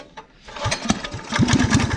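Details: Rat rod small single-cylinder restarted on choke after new gas tank fitted, small leak at tank's top noted: a few ragged pulses, then catches and settles into quicker, steadier chug; normal start.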